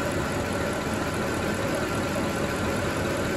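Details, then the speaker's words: Mercedes ML63 AMG M156 V8 after oil change: smooth, steady idle with no top-end ticking; earlier lifter noise, blamed on low oil, gone immediately. "i can almost guarantee that that lifter noise we were getting was because the oil was low we went away immediately right now"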